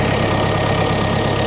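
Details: CAT 420F backhoe started after service: steady, even diesel idle with a smooth low rumble, no squeaking or belt squeal; sounds healthy.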